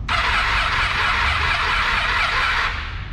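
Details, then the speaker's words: Motorcycle at 53,000 km that died while riding, fully charged battery: starter whirs steadily but cranking is heavy and uneven from lost compression, suspected heavy carbon on the valve seats. "a partida ela é desse com passada que a gente faz a põe para carregar para que a roupa de apertar embreagem que filmar aí da partida não dá olha o ruído descompassado"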